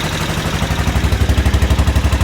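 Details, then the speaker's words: Aprilia Pegaso with cleaned carbs and new carb inlet rubbers, warm, choke off, idling around a thousand rpm (owner unsure) with a clean, even beat and no stumbling or hunting; sounds healthy. "so it sounds pretty good sounds like it runs as it should I'm quite happy with that heat getting now that's the choke off"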